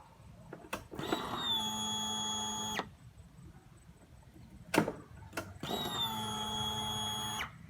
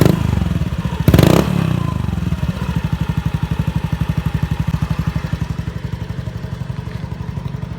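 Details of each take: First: Honda Beat FI scooter, key switched on after installing a new fuel pump to cure hesitation: two even two-second buzzing runs that settle quickly. Pressure reaches 43 PSI and builds faster. Normal fuel pump priming. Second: Honda Beat FI scooter before repair, with hesitation at low and high revs. A sudden throttle blip swells briefly, then falls flat back to a lumpy idle of about four pulses a second. Hesitation under acceleration.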